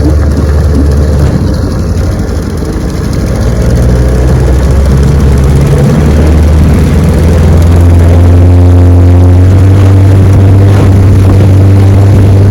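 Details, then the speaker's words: Restored 1971 Evinrude 9.5 HP outboard (9122R) on a lake test run: starts on the first pull, then a loud, steady drone climbing smoothly in pitch with no misfires or rattles. Runs about 17 mph and idles perfectly. "She's a beauty and she runs great, I'm telling you. 17 miles an hour, easy, starts right up, idles perfect."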